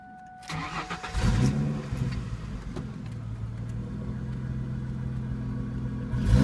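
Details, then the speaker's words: 2002 Ford Mustang 3.8L V6, 5-speed manual, high mileage, non-stock exhaust: fuel pump primes, starter whirs, engine catches after a second and settles into a deep, slightly lumpy but steady cold idle; normal cold start. "I'm going go ahead and start her up for you and let you hear her typical four door CH here the fuel pump start up put it in"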